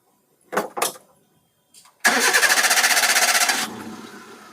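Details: 2015 Hyundai i10 1.1 petrol, with a second, newly coded ECM fitted to cure a cylinder 2 and 3 misfire: two light clicks, a quick even crank that catches cleanly and settles into a quiet steady idle.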